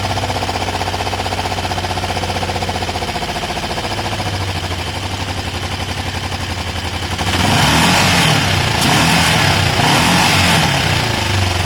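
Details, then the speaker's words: Kawasaki ER5 twin, 62,000 on the clock, low fuel on reserve, rescue project nearly finished: even steady idle, then a throttle blip gives a louder, smooth rise with no misses; normal start and idle. "There's not much fuel in here, we're on reserve, but just to show you that the bike does start and sound fine and there's no fuel spill, let's fire it up."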